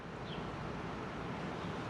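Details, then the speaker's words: MaxxAir MaxxFan/Fantastic Fan roof vent on a 2019 R-pod 180 RV, after fixing the fan motor squeak: steady soft airy whoosh, smooth and even, whisper quiet with no squeak or squeal. "now it's time for the big test okay here comes the Moment of Truth oh yeah whisper quiet baby"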